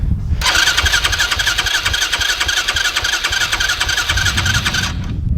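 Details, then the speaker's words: Newly bought dirt bike that sat a long time and needs a tune-up: steady fast cranking with a high starter whine, never firing. It started earlier by accident but now won't; owner plans to change the clutch cable and bump start it. "Alright, I don't know why it's going on. I don't know why it's not starting."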